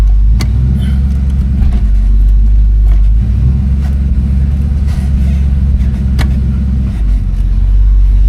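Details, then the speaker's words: 1969 Ford Fairlane convertible, odometer 8,882, on a test drive; deep, steady engine rumble with smooth, even pulling and no knocks or misses, solid throttle response; normal running. "Throttle response is solid. Feels like she wants to run for sure."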